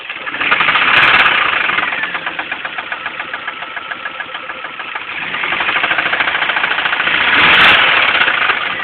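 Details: Pontiac Sunfire engine running with a steady rapid knock, about three per second, rising slightly with revs; occurred while driving home; internal knock, cause unclear.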